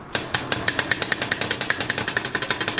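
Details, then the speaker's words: Clutch disc inspection, disc shaken by hand: sharp metallic clacks about seven a second from worn, loose damper springs. The springs have worn grooves into the plate and cracked it, and such a disc will chatter and make lots of noise. "So you can see these grooves, and the springs, hear that? This makes a lot of noise."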